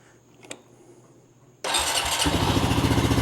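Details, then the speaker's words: Older Honda Rancher 420 ATV that stumbled and stalled once warm, cold start after fix and full service: short crank, catches at once, settles into a steady even thump around 220 beats a minute; normal start. "Fires right up. Runs great now. no issues at all."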